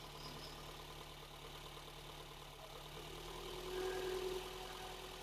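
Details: Mercedes 190E 2.3-16v Cosworth, cold start, heard from the exhaust: quiet, even idle with a soft steady hum and light regular ticking. Valves were set loose; owner thinks cylinders don't fire equally, causing slight imbalance.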